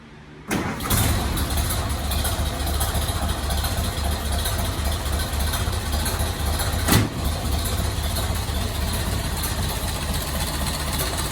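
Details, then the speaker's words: 1930 Ford Model A after replacing cracked exhaust manifold with new manifold and stainless exhaust, plus earlier distributor head replacement and carburetor rebuild; starts quickly, steady even low idle, no misses, ticks or puffing, much smoother than before: normal idle. "You can see it's running considerably smoother from when we first started the project by replacing the head in the distributor system."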